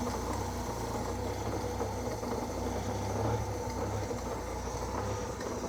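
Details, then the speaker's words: Old Austin tipper truck, revived after sitting 20 years and not run for 4 days, started with a bit of choke: quiet, smooth, even idle, no smoke; blows a little on throttle, fuel or oil unsure; owner mentions an occasional knock. "Super quiet old truck, no smoke. If you're into the throttle, it blows a little bit."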